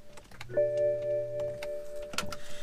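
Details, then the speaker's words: BMW E60 won't crank after being moved a few times: faint and loud dry clicks over a steady dash chime when the start button is pressed. Battery was recharged and ruled out; the refitted Bosch starter motor or its solenoid is suspected. "And I could tell by the faint clicks sometimes and the loud clicks sometimes."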